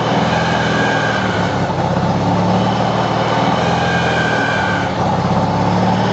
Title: 93 RX-7 Turbo whine.3GP